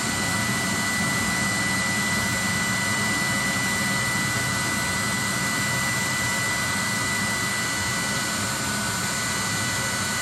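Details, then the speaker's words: 30,000 BTU/hr multi-fuel fuel-fired personal cab heater for military vehicles, control box flipped from run to off: metering-valve clicking stops and the blower purges until it quits, a steady rush with a faint constant whistle; normal shutdown purge. "You'll hear that fuel metering valve right there stop clicking, and the motor will blow out until it quits."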